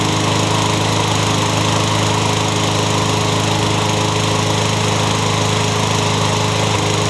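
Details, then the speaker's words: Toro engine swapped onto a Craftsman mower. It runs steady at high speed with a faint regular tapping in the beat. The owner suspects it is just starting to knock. "I think I yanked this engine off of a Toro because it sounds like it's just starting to knock what do you guys think just doesn't sound quite right to me"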